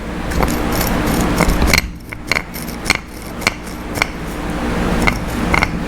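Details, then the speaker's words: Honda 350X ATC rear axle carrier turned slowly by hand: sharp gritty clicks about twice a second per rotation from worn bearings, felt as chirping from the rear on smooth pavement. "that's the bearings inside and so i could i couldn't hear it over the bike of course but i could feel it"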